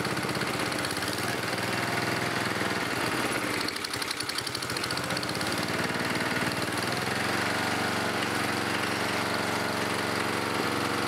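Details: 11HP Briggs & Stratton single-cylinder engine after carburetor cleaning, also smokes: rapid, somewhat uneven knocking about four a second over the running engine; internal engine knock, rebuild planned.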